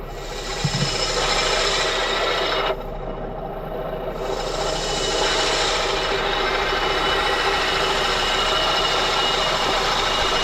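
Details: Honda K24 engine idling: a harsh, raspy grinding from the engine compartment, first suspected in the top end. It stopped with the belt off, and spinning the pulleys showed the AC compressor was the culprit.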